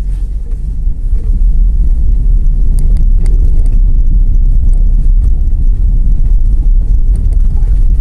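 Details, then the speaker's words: 2008/09 Fiat Palio on a test drive after replacing the front ball joint (pivô) to cure a noise: only steady low road rumble, no clunks or knocks over bumps; noise resolved, suspension normal. "Aquele barulho que o carro tava, resolveu, vou esticar"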